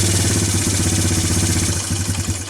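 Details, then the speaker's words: Timberwolf four-wheeler single-cylinder with a Mikuni carburettor, tuned slightly rich, putters lumpy and unevenly at barely-open throttle, smoothing once given gas; a sign the carb needle is set wrong. "I'm just barely touching the gas. It goes away once I hit the gas, but that's usually a sign of the needle being off."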